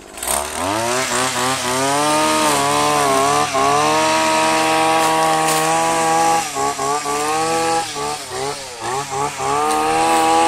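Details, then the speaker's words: 15-year-old Stihl FS85 two-stroke strimmer on premix, started after seven months unused in a log shed: crisp buzz revving up and settling, blipping cleanly, no misfire or rattle; normal running. "so that's it it works that still that's been there for about 15 years"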